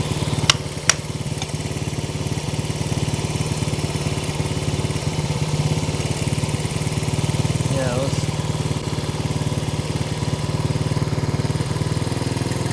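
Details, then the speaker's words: 1970 Honda CL100 single, about 11,000 miles, freed from seizure, still smoking because the cylinders are full of ATF and run to warm up: steady, even thumping idle; normal. "that sucker sounds pretty good I'm going have to throttle this uh hoping the I want to let it run a bit so I can see if I can get the U smoke to clear up"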